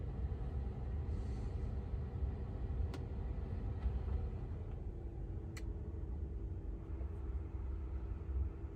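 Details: 2022 Tesla Model 3 rear-wheel drive with heat pump, recorded from outside the car with defrost on during warm weather: low steady hum with a soft steady tone settling in halfway through; heat pump running normally.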